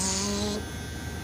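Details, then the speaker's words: Reach-in freezer with a noisy two-pole 120-volt contactor inside: a steady electrical mains-hum buzz cuts out after about half a second, leaving a faint hum. The buzzing contactor is the noise source, and a replacement is being sought. "I can hear it there's a contactor in there and the contactor is buzzing"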